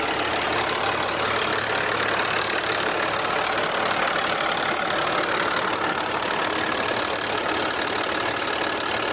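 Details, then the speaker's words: 1994 Dodge truck on bone-stock exhaust, passenger-side fender off and that battery removed, starting on one battery: steady, even idle with smooth exhaust rumble, no knocks or misses; runs good, normal idle. "So we'll fire it up and let y'all hear it. It's bone stock exhaust still. We got the passenger side fender off, so that battery's out. So it's starting on one battery, but it runs good."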